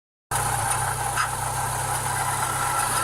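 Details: Renault Clio 172 engine with a harsh metallic grind and hiss over the low rumble, heard at idle and when running, from the timing belt area. Cause unknown.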